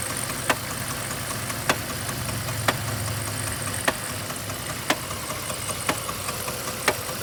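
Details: 3.7 liter V6 at idle: sharp single knock about once a second over a quiet, steady idle; source of the knock not pinned down.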